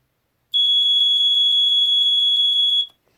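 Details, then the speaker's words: Mid-1980s Sears 246.57313 BRK-made smoke detector, early red three-slot horn, test button pressed: steady, very high-pitched tone just over two seconds, stopping cleanly; higher pitched than the newer version; sounder works. "So as you can hear, this one's slightly higher pitched than this one, but they're both actually much higher pitched than the newer one."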